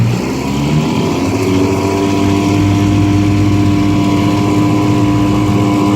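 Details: 1955 Johnson CD-12 5.5 hp outboard, rebuilt with new points, condensers, aftermarket coils, wires, plugs, carb kit, on a boat on the pond under load: steady, even drone with no misses or knocks; runs healthy.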